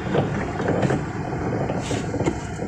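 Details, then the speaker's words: Honda Brio Satya on test drive over paving blocks: dull irregular knocks up through the front end above road rumble; worn steering rack, later found with rusted rack and pinion. "यह बहुत स्पष्ट है कि बनावट समस्या है । उस भाई की तरह ग्रुडुक हो सकता है कि आप लोगों ने होंडा ब्रियो कार ब्रो से आने वाली आवाज़ के बारे में थोड़ा सा सुना हो"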